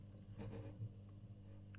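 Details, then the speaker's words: Elektro Automatik EA PS 7065-100 0–65 V 10 A linear power supply, 42 W idle: steady low hum growing louder as output voltage is cranked up, transformers shorted by mounting metal transferring hum to chassis; transformer hum from chassis vibration. "okay are you ready can you hear the hum so we got 42 watts of idle power oh I can't even feel the vibrations there's a very loud hum when I crank up the output voltage"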